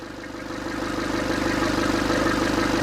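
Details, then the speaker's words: Nissan Urvan E25 ZD30 diesel that stalls after hours of driving, won't restart until next morning, and shows no fault codes. Here it catches quickly and settles into a steady, even idle; the start is normal. "Nissan Urban tiada masalah engine normal saja. Kenapa kita tengok start pun start pun sedap saja kita start."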